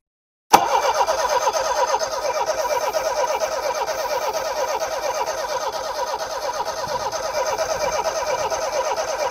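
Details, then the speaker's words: Homelite Stingray boat engine after carburetor cleaning and fuel system work: starter spins steadily about two beats a second for nine seconds, never fires; owner suspects ignition, distributor rotor. "yeah it might not be well I don't think it's going to start today it doesn't sound like it wants to sounds like we might need to replace some stuff with the ignition with the rotor the distributor rotor in the distribu"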